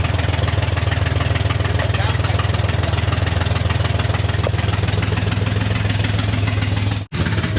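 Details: Corvair (paperwork says 69) flat-six, unrun for years, first start on jump box: loud chuffing idle beating about three and a half times a second with a raw puffing edge; exhaust leaks on an unsettled engine.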